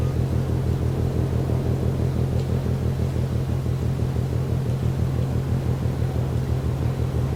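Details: Container ship Maersk Taikung at the Port of Genoa Pra', 1 a.m., recorded from more than 1 km away. A deep, even pounding about twice a second sits over a low ship hum; the source is unidentified.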